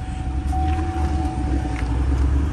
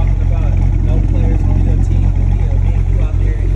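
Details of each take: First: Cadillac CTS-V3 LT4 6.2L supercharged direct-injection V8 at idle, smoking and smelling of fuel: deep lumpy, unsteady rumble under faint whine; rough idle misfire from stuck/leaking fuel injectors, two later replaced. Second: Cadillac CTS-V3 LT4 6.2L supercharged V8 after replacing two leaky stuck fuel injectors that caused rough running, smoke and misfire, plus colder NGK plugs and oil change: deep, steady rumble, even pulse, no ticking or stumble.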